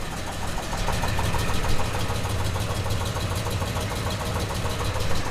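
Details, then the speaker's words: 1967 Buick Special with a 350 small-block Chevy and newly installed long-tube headers, paint burning off. Sharp rapid puffing tick in time with the rumbly idle; exhaust leak at the collector gasket. "it's running it's doing car stuff it's leaking exhaust from the this wly area think that's all the paint turning off oh yeah there's that leak right there collector gaset leak not super worried"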